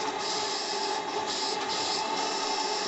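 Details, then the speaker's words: AL5 live-steam model engine after one hour break-in, restarting in its favoured direction at under 1 bar, about 700 grams: steady hiss of escaping steam under faint running tone; steam leaking at the cylinders, not yet sealed. "entend les fuites, c'est pas grave, mais je peux redémarrer dans ce sens-là."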